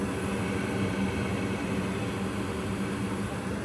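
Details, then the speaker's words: Goodman gas furnace model GMS80804BNBD after replacing the screeching draft inducer fan: a steady, low, even hum with a faint tone underneath, running normally and quietly. "After fixing it we can barely notice when the furnace is running. So it's pretty quiet."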